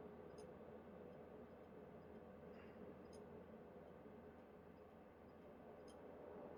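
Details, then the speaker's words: PlayStation 2 SCPH-30001: soft steady disc spin hiss with occasional sharp clicks every few seconds as the laser seeks; normal reading, not the click of death. "Is it a brand new laser? You're going to hear some clicks out of it. It's not like it's like a click of death or anything."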